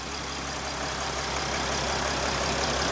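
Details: 2013 Mercedes Sprinter 3.0L diesel, codes P0301/P16C200: a lumpy, uneven idle at about three or four pulses a second with some skipping. The amp clamp is on the cylinder three injector, whose waveform looks similar to cylinder one's.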